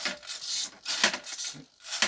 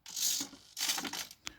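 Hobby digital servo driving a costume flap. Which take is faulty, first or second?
first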